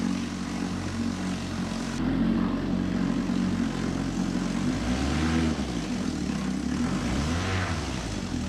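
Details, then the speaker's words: 1954 Johnson Seahorse 3hp two-cylinder two-stroke outboard running in water, mixture leaned, no neutral; a steady, even buzzing drone holding its pace with no misses or knocks, hot water from the exhaust, healthy. "all right we got hot water coming out of the exhaust here pretty good"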